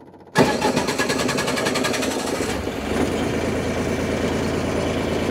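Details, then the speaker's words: MEP-1040 surplus military diesel generator, set 240 V 60 Hz: quick cranking, catches, brief idle then comes up to speed; clean, normal start and idle. "it'll go through its little idle for a little bit and then it'll come up to speed"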